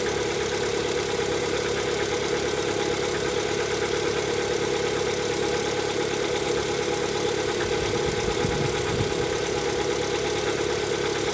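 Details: Lada Vesta at 11,000 km, cold start: loud cold idle with a faint, uneven tapping under the engine drone; owner suspects cold piston knock, not confirmed.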